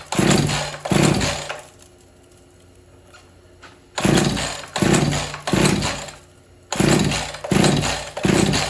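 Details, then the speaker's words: Husqvarna 445 chainsaw, unused for about 10 years, first start attempts: short bursts of revving that die away within a second or so, repeatedly; it catches but won't keep running, seems to need more throttle. "oh seems like it needs a little more throttle but it won't stay locked in it's kind of weird"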